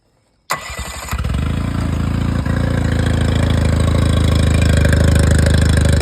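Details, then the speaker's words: Yamaha 20 HP four-stroke outboard, briefly run just after an oil change with 1.6 liters added; a quick start, then a steady, even idle pulse near four beats per second with no knocks or misses, running normally. "All seems to be good."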